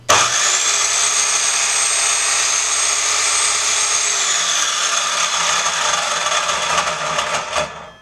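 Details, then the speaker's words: GMC MS190 190 mm mitre saw before service: loud high-pitched whine over rough gritty rush while the blade runs, then winding down; owner hopes bearings, possibly gears. "I'm hoping the noise is the bearings but it could be the gears"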